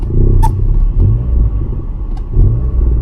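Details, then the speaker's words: Cheap daily-driven car thrashed hard: low steady engine rumble with a few sharp cracks; sounds straight-piped, exhaust popping and banging, driver unsure if it was engine knock. "Can you hear that? It sounds a bit straight piped."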